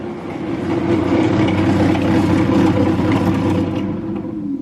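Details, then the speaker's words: 1968 BMW 1602, first start after 10+ years sitting, electric fan (factory or dealer AC): loud rough whirring drone with a coarse rumble underneath, sounds about to come apart; noisy electric cooling fan, worn motor suspected. "cuz sounds like that heer is about to come apart uh let me see here I'm not sure where that electric fan switch is or if there is a switch for it"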